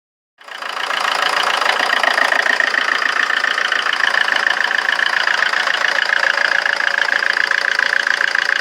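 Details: Rover 25 diesel at idle: loud diesel clatter with an uneven, lumpy beat and a slight wavering pulse, so it is idling rough.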